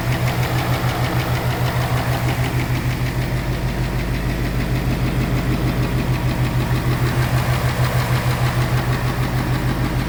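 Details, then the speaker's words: 2018 Mustang GT Coyote V8 with custom cold air intake, idling: crisp even tick about three per second, tapping like knock, traced to the intake manifold runner control; the car also has a typewriter tick at cold start. "depending on the angle and stuff it sounds like tapping ticking stuff like that and the car does have the the typewriter tick that start up when it's warming up"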